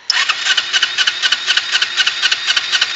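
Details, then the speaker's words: 2008 Kawasaki Ninja 250R that idles high (2–3,000 rpm), sometimes hangs at 5,000 rpm and smells of raw fuel; stalled slowing into a parking lot and now cranks steadily without firing. Owner suspects it runs rich and needs rejetting. "hold on let me turn her back on oh na she doesn't want to turn on"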